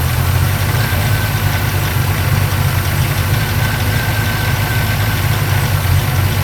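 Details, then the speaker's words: 1940 Ford engine at idle before being parked and winterized: a heavy, lumpy idle with a loose rattle running through it. It sounds internal, damage is possibly already done, and the cause is not pinned down. "I will fire it up just so you can hear that rattle. I don't know if the microphone will pick it up or not, but we'll try anyway, just so you can hear what's going on."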